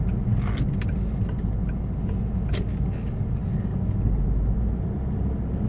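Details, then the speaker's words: Peugeot 508 2.2 HDi diesel pulls at full throttle with a deep flat drone and no turbo whistle; it is underboosted and sluggish because the turbo's variable geometry is stuck in one position. "you can usually hear the the whistling of the tube earlier a bit and I can't hear that at all"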